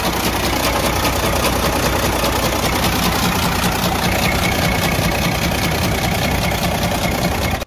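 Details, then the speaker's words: Detroit DD15 truck diesel running: loud, hard metallic knock repeating steadily from the front of the engine; teardown found destroyed connecting rod bearings and crankshaft damage, rod knock. "camión que está acá es el que estaba haciendo este ruido que pudieron escuchar al principio del video, un ruido bastante fuerte que venía de la parte de enfrente del vehículo, del motor en este caso."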